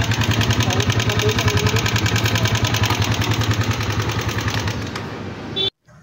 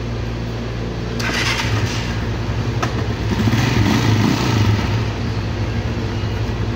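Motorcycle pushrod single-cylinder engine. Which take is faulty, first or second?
first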